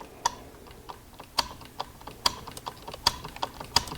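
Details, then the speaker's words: Honda Odyssey power window diagnosis: with the ground on the white/green wire from the master switch to the power window relay disconnected, only sharp switch or relay clicks are heard and no motor runs. Power window relay not grounded by master switch. "but if I disconnect this ground I'm going to disconnect this ground watch nothing happens you hear the click but the window doesn't go up and"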